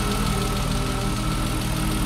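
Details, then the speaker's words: BMW E36 M3 S52 six-cylinder, high-mileage engine, first start, idle: light fast ticking over the engine hum; owner first wonders about injectors, then says it's lifter tick. "do you guys hear that lifter you hear the lifter tick gotta love s52s"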